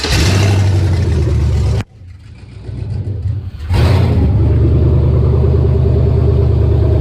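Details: 1999 Chevy 5.3 V8 4WD junk donor pickup, run to test the engine: a steady V8 rumble briefly drops away, then picks back up to a strong, even run and rev. The engine sounds healthy.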